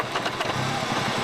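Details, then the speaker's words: Classic SAAB 900 Turbo after a full engine rebuild: low, uneven idle that dips and surges and struggles not to die, hunting between 500 and 1000 rpm, with a rattle heard at low rpm; runs well with good power and turbo at higher rpm. "once i get that idle thing worked out like i said earlier it can't decide whether it wants to be between 500 or a thousand rpm"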